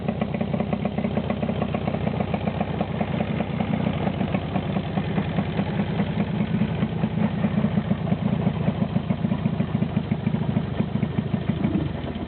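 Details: Jawa 350/638 two-stroke after cylinder-piston group (top-end) rebuild: steady, even idle with a crisp regular popping exhaust beat, no knocks or rattles; running healthy.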